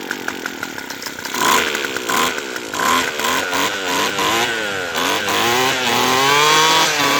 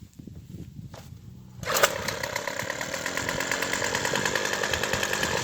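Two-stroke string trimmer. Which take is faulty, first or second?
first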